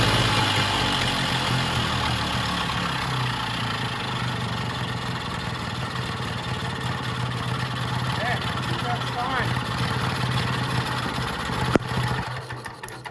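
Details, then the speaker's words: Vintage Jacobsen greens mower idles at a steady, even low putter with no surging or over-revving, after its governor was hooked to the original linkage with a cotter pin. It runs healthy at normal idle. "I don't think it's over revving or anything, so we're going to leave it at that."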